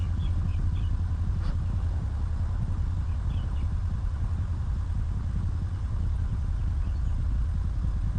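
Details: 2019 Ram 1500 that had a no-start with no power, now running after the RF hub module was cleaned: steady low rumble with an even, unbroken beat, no knocking or ticking; normal healthy idle.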